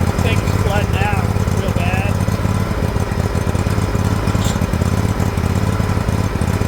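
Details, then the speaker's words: Liquid-cooled Kawasaki, John Deere LX178 project mower: loud, uneven low chugging with a faltering beat, loading up rich; carburetor flooding over badly, leaking fuel onto the muffler. "it runs the engine's great it's flooding over something terrible actually leaking fuel right out onto the muffler"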